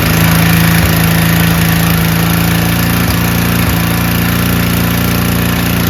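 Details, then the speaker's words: Powerback 5000 W generator with a Tecumseh engine, before repair and started with ether. A loud, slightly uneven run on partial choke, about 3/4; it stalls when the choke is fully open. Owner suspects a moderately dirty carburetor, possibly bad gas. "Uh, it was running on almost 3/4 full run, but then when you put it all to 100% full run, meaning the choke flap is completely open, all air going in start to stall."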